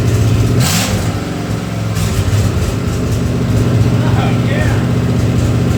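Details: Ford 302 V8 for an 84 Mazda truck, converted from EFI to carburettor, sat two years, first run on engine hoist: fires and settles into a lumpy, strong idle with deep exhaust pulses; timing roughly set, sounds healthy.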